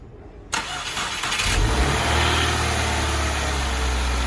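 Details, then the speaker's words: Car with MAF sensor unplugged, engine relying on MAP sensor as backup: short crank, then catches and settles into a steady, fairly even idle; engine starts and runs fine with MAF unplugged. "you can see with our vehicle, it will actually start and run pretty all right, because we do also have that MAP sensor contributing to the operation of the vehicle."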